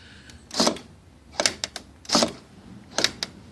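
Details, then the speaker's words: Car door lock not locking: short whirring clacks in pairs about every three quarters of a second but no lock thunk; actuator runs free, having come loose and disconnected from the lock; owner plans to add a screw. "it ain't you ain't connected so my guess I see if i could put another screw in there see what happens"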